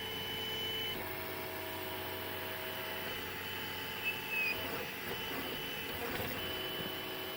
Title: Squeaking Sound on 3D Printer